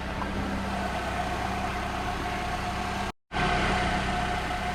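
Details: 2011 Nissan Altima 2.5 SL after downstream catalytic converter with flex pipe replaced for code P2423, new gaskets, heard from under the car: steady even idle, smooth low drone, no ticking, rattling or exhaust puffing; normal idle.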